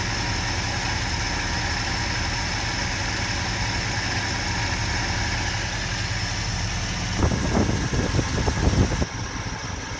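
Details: 1970 Ford F250 360 FE V8 with an unknown carburetor the owner suspects is the wrong one for a smaller V8. The carb was leaking fuel; idle air screws are being set by vacuum gauge (reading 15). Lumpy, uneven idle with low rumble and irregular knocking.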